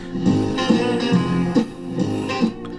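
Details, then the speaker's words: 1956 Loewe Opta Meteor 1781W valve radio after the original EF85 IF amplifier valve was refitted, tuned to a local station on the shop speaker: guitar music plays clean and full with no crackle, hum or distortion. The restorer suspects the swapped valve was the cause. "Well, that sounds all right. So I wonder if it is that valve."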